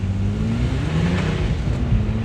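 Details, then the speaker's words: 2006 Nissan Maxima V6 under hard acceleration, front tires spinning: strong, smooth engine roar climbing steadily with no stumbles; the engine pulls cleanly with lots of power. "so man i'll tell you what this v6 got some power"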